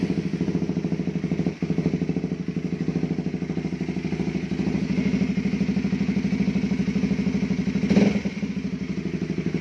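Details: Honda CB150R single-cylinder after three engine teardowns, upper block/head and worn balancer gear and bearing housing previously off-center: steady even idle about two firings a second, light valve clatter only; normal idle.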